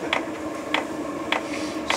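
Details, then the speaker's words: Externally fitted FF heater on a Hijet truck camper, test running before silencing: sharp, even clicks about every 0.6 seconds from the fuel dosing pump, steady like a heartbeat; normal pump ticking. "木魚の音聞いていただきたいと思います通常これですさあ木曜叩き始めました"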